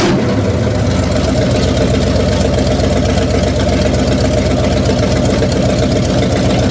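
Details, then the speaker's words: 1966 Chevrolet C10 V8 idling with distributor loose during timing setup: steady idle with uneven rough pulse; sounds fine except one cylinder, cause unknown; abnormal engine noise. "okay maybe it's not tight something is not happy I don't know what it would be though sounds fine except for one cylinder or something"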